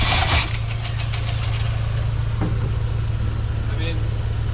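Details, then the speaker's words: 1988 GMC Sierra 3500 bought with known issues, air filter removed, cranks with a steady low rhythm but never catches. No fuel pump delivery is suspected, and it later ran only on starter fluid: crank, no start due to no fuel delivery. "well i mean any fuel going if it has no fuel pump it's gonna be hard for it to start i guess"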